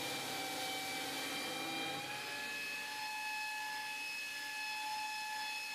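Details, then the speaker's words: 2x48 belt grinder attachment driven by a bench grinder motor, ground hard under heavy pressure: steady high motor whine with belt hiss, pitch sags slightly but holds speed without bogging, a healthy motor pulling its load. "all right so I was I was grinding pretty hard putting a lot of pressure on it you hear the motor slowing just a little bit but it maintains the speed really well doesn't bog down very much"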